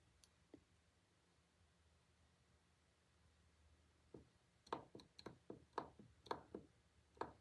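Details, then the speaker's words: Lawnmower blade balancer, shaft rocked by hand in quiet room: loose irregular clatter of light knocks; bearings have about 0.010–0.015 in play, worn bearing with excessive play. "that's 15,000 if I turn it a bearing should not rattle like that"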